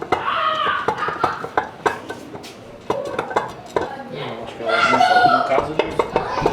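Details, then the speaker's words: Differential for a 4x4 swap into a Calibra C20XE turbo, turned by hand after freeing a seized part; irregular sharp metallic clunks and rattles about three a second; ring gear found loose underneath: loose ring gear clunk. "Oh, it came loose No, sound is not good This is strange I don't think it can be loose like this"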